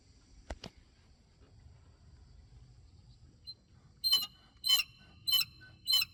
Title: BMW E70 X5 Birds Chirping Noise